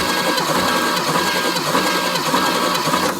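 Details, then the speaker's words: 1968 Chevy Camaro engine, driven daily since 1990, cranking with plugs out during a compression test reading about 150 psi in every cylinder (one 165): steady, even cranking, every stroke alike; normal cranking compression. "wow 150 lbs in every hole this thing's Stout I don't even know what to do I expected much worse"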